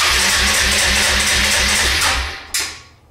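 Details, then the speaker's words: 2005–2007 Suzuki Eiger 400 ATV before the carburetor rebuild, in neutral: the starter spins the engine steadily for two seconds with no firing; cranks but won't start, spark or fuel suspected. "the engine is turning over you can hear it going but there's no ignition of the fuel and so the engine is not starting"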